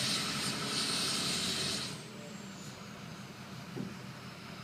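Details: Ford F250 6.0 Powerstroke diesel accelerating. A high turbo whistle rises over the engine while pulling, then fades as the throttle eases off; ordinary spool sound, nothing wrong.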